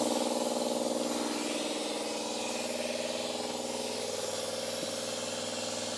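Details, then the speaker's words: Old air compressor tested for a 1961 VW Karmann Ghia restoration: motor drone pulsing about four times a second with constant hiss of escaping air; the drain valve underneath is open or damaged, with a hole found. "sounds like the valve underneath is open"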